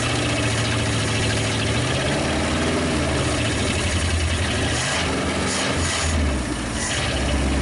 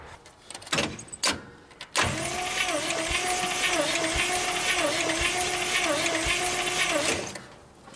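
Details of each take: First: 1956 Studebaker Golden Hawk after storage: steady, slightly lumpy low idle firing on all cylinders, no knocks or rattles, still settling. Owner says it's getting better and not overheating; it's just the stuff on the manifolds. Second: 1956 Studebaker Golden Hawk that won't start: compression test cranking on cylinder 4, a steady roughly five-second crank with a slightly lopsided rhythm. It reads only 30 psi, too low to start; a wet test with oil will show rings or valves.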